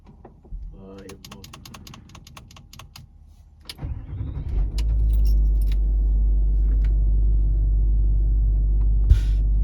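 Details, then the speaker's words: Range Rover L322 3.6 TDV8 that sank onto its bump stops overnight, faults CA120-64 and C1130-7A, engine started: steady low hum as the Hitachi air suspension compressor runs and raises the front; owner still suspects a possible split air strut bag. "The compressor is running and we do appear we are raising Bloody hell! Is it going to overheat and cut out?"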